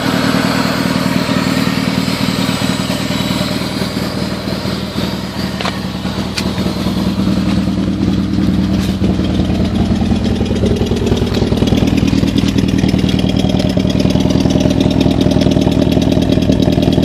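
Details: Toyota Celica ST202 petrol engine idling with an uneven, stumbling beat, the lope of a misfire.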